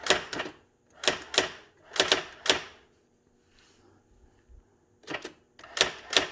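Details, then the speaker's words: Brother Correctronic GX-66750 electronic typewriter: crisp bursts of rapid clacks in word groups with short pauses, typing normally. "So you can hear it typing, but you can't see it."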